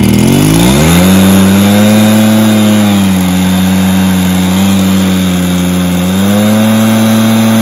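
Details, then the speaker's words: Stihl BR430 backpack blower before teardown: revs up then sags and hunts instead of holding speed; runs better with a little choke and high revs; owner suspects carburetor, possibly piston damage; bogging on acceleration. "it's bogging down when I go to rev out if I give it a little bit of Choke then rev it out and I keep the rows higher then it will do the job so it's definitely got a carb issue I would say"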